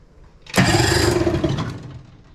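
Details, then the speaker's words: 1973 Evinrude 18hp two-stroke two-cylinder outboard on 14ft aluminum boat, water-fed from bucket; short sluggish crank on weak battery, catches briefly then fades; choke broken, later runs with a miss; hard start. "okay let's see if we can get this to run see if we can hook this up it's just not enough battery there we go come on"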